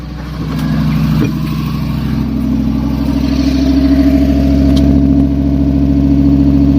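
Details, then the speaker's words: Fiat Stilo Abarth, unused for a few years, first start after clearing RPM sensor codes: settles into fast steady high idle; owner suspects the mass airflow sensor in the air filter, idle later drops. "Well, it's very high up in idle, but it didn't run for a few years, so yeah, that's really high, to be honest."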